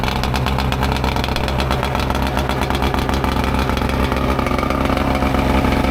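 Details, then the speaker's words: Mercury 115 two-stroke outboard on muffs after fixing fuel leakage that caused high revving and adjusting linkages: even, rapid buzzing idle with a steady beat and no misses or knocks; runs well. "Thing runs good."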